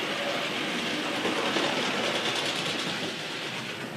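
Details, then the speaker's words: Gaugemaster model railway controller fault: loco whirs up fast with rapid rail clatter about three per second at full speed while dial reads 0; unit to go back for warranty repair. "And it's doing about 1,000 miles an hour. Train's going around the layout at full speed."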